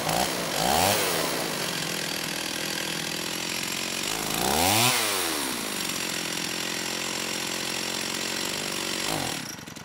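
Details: STIHL 028 AV Super chainsaw, straight-gassed and rebuilt with non-OEM parts, while the low-speed needle is tuned: the two-stroke idle won't settle, surging and sagging in waves; crankcase air leak suspected, though crank seals seem fine and a carb issue is possible.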